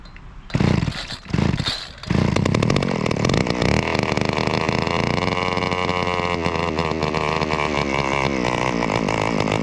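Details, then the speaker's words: Trimmer started after a few pulls on choke, then a loud, rough, raspy two-stroke buzz that holds steady with a slight wobble; owner blames string still on the head and thinks the carburetor may need work someday. "is a little loud because there's still string in it."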